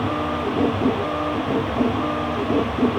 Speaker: see joint pretty much got blocks there because it was trying to enter the extruder just wasn't ever going to make it through